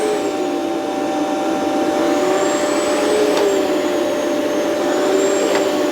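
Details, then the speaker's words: Rainbow PN12 power nozzle before refurbishment: motor hum with whine sagging and recovering as brush loads on carpet, slowing to maybe half speed; owner suspects loose belt. "Uh, it seems to be slow when it's really on the carpet as opposed to off the carpet. So, maybe loose belt."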